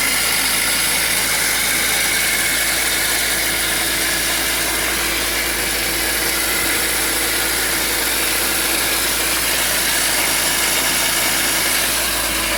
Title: BMW E46 Screeching Noise from Engine Bay (M52) 323i